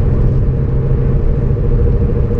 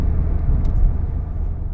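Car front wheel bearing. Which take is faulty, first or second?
first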